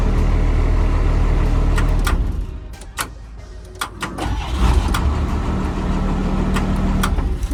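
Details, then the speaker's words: Truck engine at a steady, even idle with a smooth low rumble and no knocks or misses, judged to sound good; normal start and idle. "We'll leave it up real quick before we shut them all down. That one sounds good though."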